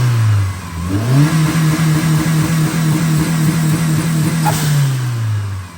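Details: 1991 Mitsubishi 3000GT VR4 with full 3-inch turbo-back exhaust, revved: blips smoothly from idle, steady even note, settles back, no knocking, rattles or smoke; engine healthy.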